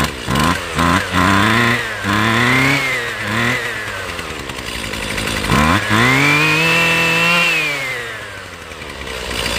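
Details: Husqvarna two-stroke weed eater off choke: buzzy pitch climbs as the throttle opens, then sags and falls away instead of holding, so the engine dies at full throttle.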